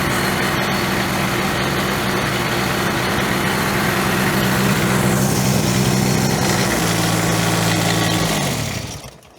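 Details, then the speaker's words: Ventrac 4500Y, 25 HP Kubota diesel, hand-throttled with broken throttle cable after glow plugs: strained even drone, then sags and dies, smoking heavily; suspected restricted air intake. "Wow, [snorts] that's smoking like it's not getting air. I think we have an issue with air flow."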